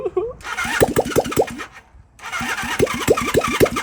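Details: 1978 Honda CB400A Hondamatic 400, sat outside 10+ years, piston previously seized: two bursts of quick, uneven cranking chuffs fading without catching; cranks but won't start, carburetors then rebuilt. Cause suspected, not confirmed.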